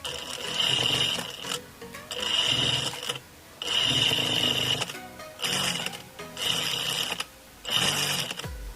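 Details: Electronic straight-stitch sewing machine, after repair of loud noise at needle stop: six short runs of steady high-pitched stitching, each ending in clean needle stop, no knock or rattle; normal sewing and needle stop.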